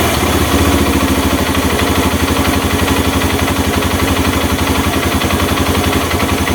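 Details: Honda Mega Pro mono single-cylinder, after an air leak that caused hard starting and stalling at idle was found and the air screw set: steady idle about four beats a second, even and stable, no hunting or stumbling.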